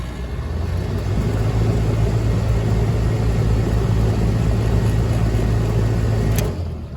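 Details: 1996 Heil AG030GB1 2.5-ton AC condenser at about 55°F ambient with the hard start kit disconnected, about 37 A start and 9.6 A run: firm steady low hum with an even buzz, no stumble or rattle, then a clean shutdown; compressor running normally.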